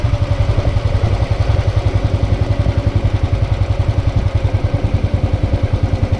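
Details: Hot motorcycle idle after a short ride, with the engine replaced (including starter, internals, throttle body and fuel injector): an even low thump, about 3.5 beats a second, with no valve tapping; healthy.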